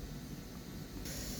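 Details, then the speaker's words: G5 ventilator set up for synced nasal NIV in a NICU: steady soft airy whoosh that brightens as the reservoir blender mixes air and oxygen for FiO2. This is normal and sounds breath-like but is not a breath; this unit is quieter than others. "Also, you will hear occasional hissing like a whoosh. It constantly is churning air and oxygen to get your mixture right. It sounds like it's a breath, but it's not."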